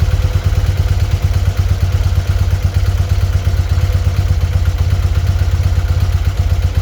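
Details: BMW R100RS twin idles with a loping, uneven thump and unmatched pulses; carburettors went out of balance after a sticky-throttle fix and were then synchronised with vacuum gauges. Uneven idle.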